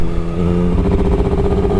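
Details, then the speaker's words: Triumph Daytona 955i, fuel injected, after fitting an aftermarket slip-on exhaust, ridden in second gear: the low throb breaks into choppy sputtering under throttle at low revs; exhaust leak sealed and ruled out, owner suspects it needs tuning. "it shouldn't be doing that I thought it was an exhaust leak but I've sealed all that up there's no more exhaust"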